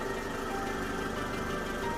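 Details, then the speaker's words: Toyota Vellfire (20 series) idling: faint high-pitched whirring over the low rumble persisting after balance shaft replacement; owner suspects timing chain tensioner, runs fine otherwise, source undetermined. "22年車ヴェルファイアバランスシャフト交換しても言えない音"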